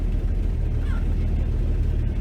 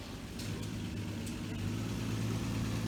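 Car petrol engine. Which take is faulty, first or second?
first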